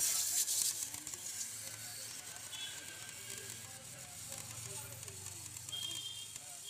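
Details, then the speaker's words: CRT TV with a failed EHT anode cap: continuous loud frying crackle from inside the set while the screen still lights, high-voltage arcing; owner warns running it can ruin the picture tube. "আপনারা হয়তো টিভির ভিতর থেকে চিরচির শব্দটা শুনলেন আপনার টিভির ST cap নষ্ট হলে কিন্তু টিভিতে এরকমের আলো আসবে কিন্তু টিভির ভিতরে চিরচির শব্দ হবে"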